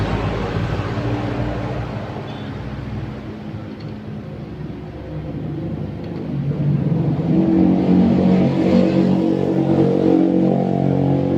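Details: Soul GT 125 scooter after parts replacement, fixing a creaking noise at slow speed (around 40 km/h). Engine revs up smoothly and holds an even drone with no knocks or rattles; drivetrain healthy.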